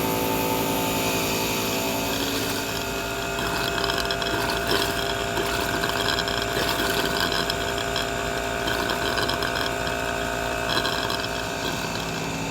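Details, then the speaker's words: Air compressor set to 40 psi running in the background while blowing out RV water lines during winterizing a Rockwood Mini Lite 2205S: steady motor drone and airy hiss, no knocking or labouring, running normally. "i have my air compressor that you can hear in the background running set to 40 psi"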